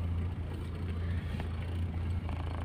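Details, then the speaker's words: Toyota Starlet cold start in the morning: choke lowered after about 1100 rpm, down to 1000; steady even idle hum with no knocks or misses, normal cold idle. "sedikit. Lalu nanti, angkanya akan stabil di 800."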